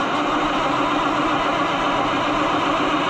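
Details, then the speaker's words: Oliver 1800 C series tractor that sat about a year, with jump pack and choke out, is throttled down while the starter whirs steadily with no firing or catch; cranks but won't start. The throttle setting is suspected, not confirmed. "Now let's throttle it down. Maybe that's our problem. We're getting nothing, friends."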